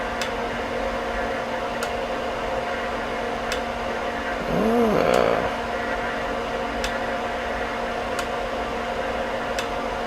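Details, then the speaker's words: HP 8642B signal generator with low amplitude output, RF path on, amplitude adjusted: sharp relay clicks about every second and a half over steady hum as the attenuators switch in and out while output floats between 10 and 5 dB. "what's interesting is i'm hearing the rf i'm hearing the attenuators click in and out which is i didn't hear that before so there might be something weird going on here"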